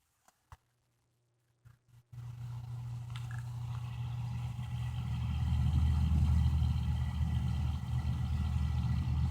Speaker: so there you go it sounds like uh a squeaky belt or some sort of uh strange noise like a uh bicycle wheel with the card in it